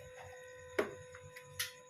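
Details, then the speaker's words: Hero HF Deluxe BS6 fuel-injected motorcycle with a new fuel pump, key cycled after an ECU reset. A quiet, steady high hum with a few light clicks and no grinding; normal fuel pump priming, and the check engine light then clears. "আরেকবার of করব, আরেকবার on করব। Motor চলছে, শুনতে পাচ্ছেন।"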